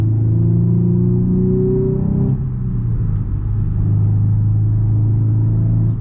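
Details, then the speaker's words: Nissan 350Z with gutted interior after swapping OEM transmission mount for solid urethane Z1 Motorsports mount, driving in rain: engine drone climbs with revs, gear change, faint transmission whine; cabin louder, expected with stiffer mount. "yeah i don't know if you guys can tell because it's raining and everything but it's uh it is louder in here"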